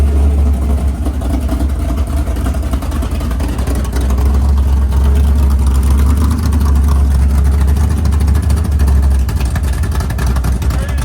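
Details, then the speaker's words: 500ci Mopar big-block V8 with Indy intake in a 1969 Barracuda, fuel pressure about 5.5: deep, loping idle near 1,000–1,100 rpm with an uneven choppy cam rhythm, otherwise steady and smooth; normal idle with cam lope. "You can hear the cam a lot better, even a little bit lower, like right at 1,000."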